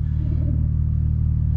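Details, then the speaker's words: BMW E93 335i with DCT, donor car, ABS not working, in drive: smooth low rumble pulling away through the gears with no clunks, slips or gearbox whine; pulls away fine and shifts nicely. Normal pull-away and upshift, good transmission. "we just make sure it goes through the gear pulls away fine shifts nicely"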